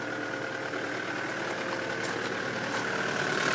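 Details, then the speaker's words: Mitsubishi Delica diesel, automatic, recently serviced, started from completely cold: a steady even idle with a soft clatter and a faint fan whir, quiet for a diesel, no oil leaks, normal healthy idle. "you can hear it's running away it's it's actually pretty quiet for a diesel very good condition no oil leaks at all"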